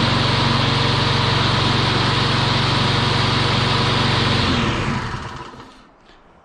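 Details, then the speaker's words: Troy-Bilt TB360 mower, sat about 4 years, with the self-propel ring gear removed to convert it to push. It runs smooth and steady with no metallic clanging on startup, then shuts off and spins down cleanly: healthy running. "I would say that is a winner now I got a push mower again"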